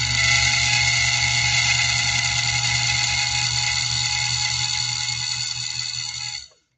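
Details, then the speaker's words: Sewing machine motor run with main drive disengaged so only the balance wheel turns: thin, raspy high whine with a gritty edge dying away as it stops, slight grinding as if rubbing; dry output pulley grinding. "Can you hear that little bit of grinding sound? It's almost like something's rubbed. I think we can fix that pretty easily."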